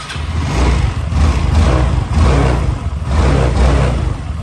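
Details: Yamaha Nouvo 6 scooter with a hard-starting problem, after carbon was cleaned from the head as a temporary fix and spark was checked good: the small engine catches and revs in smooth swells without misses, running fine for now.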